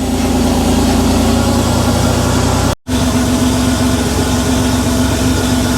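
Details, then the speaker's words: Rebuilt Porsche 911 3.2 Carrera flat-six on a test stand, first run after complete rebuild, cold start in 34°C heat, no smoke, running slightly rich: loud, even idle with steady beat, no ticking or stumbling; normal cold idle. "It didn't blow any smoke. It is running a little bit rich, but it is on cold start."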